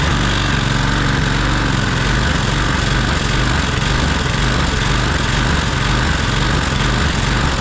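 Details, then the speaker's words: Troy-Bilt push mower, Briggs & Stratton Quantum auto-choke engine, run about 15 minutes after burning off oil smoke, before carburetor cleaning: runs low and uneven, hunting up and down about twice a second; RPMs too low, engine surging. "That thing is surging like you wouldn't believe. The RPMs are too low, it's surging, and it's nasty."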